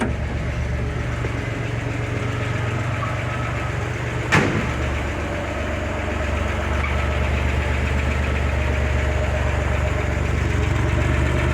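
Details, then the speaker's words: 1961 Chevrolet Corvair after its first drive: steady low idle with a light ticking at about four per second, louder after the drive and coming from both sides; valve lifter noise, with compression and timing still to be checked. "Sounds like it is coming from the right side and the left side. So you definitely have lifter noise there."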